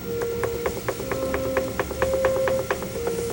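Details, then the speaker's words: Pottery wheel while centering clay: light rapid clicking, about one per second, over the wheel's steady hum, from the bat chattering loosely on the wheel head. "You can hear my bat chattering a little bit here on the wheel."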